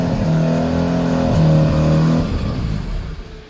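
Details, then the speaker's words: Freshly resprayed rotary-engined car after sitting for some time, cold start on low battery power: catches quickly and revs briskly with a smooth, busy rotary buzz before dropping away; healthy cold start. "Here's our cold start. Wow, it's been sitting for some time. There we go."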